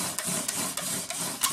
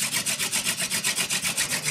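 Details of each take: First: rotations it's squeaking which means i don't have enough pressure yet Second: Hand-drill fire friction with a horseweed spindle on a western red cedar base: even rasping strokes, squeak gone once pressure is enough, building friction and smoke toward an ember.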